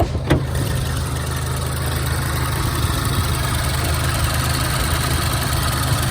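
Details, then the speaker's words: 2014 Range Rover Evoque after cooling fan control module replacement, idling outside with AC on, hood open: steady low engine rumble with even fan rush, no rattles or scraping; fan now runs normally, good to go. "that blade turning? That blade spinning, it's good to go."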